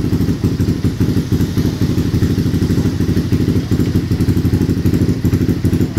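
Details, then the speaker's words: CRF engine newly fitted with a BRT 4-valve head, idling to circulate oil before ECU setting: even, quick low thumping with no knocks or ticks. Starting is easy and the engine sounds smooth. "jadi untuk stternya itu sangat mudah dan untuk suara mesin halus Ya teman-teman seperti CRF yang biasanya kita garap"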